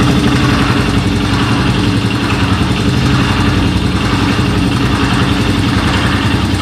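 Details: Suzuki Djebel 200 single-cylinder at idle: uneven, rough clatter over the exhaust beat, abnormal engine noise, cause unknown.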